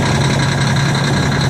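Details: Diesel cold start at about two degrees: a steady, deep diesel idle with an even low drone and no knocks or misses, settling nicely.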